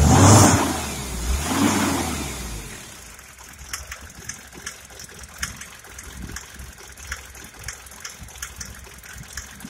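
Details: 1998 Mercedes Sprinter 208D diesel revs briefly, then idles with sharp engine knocks about twice a second.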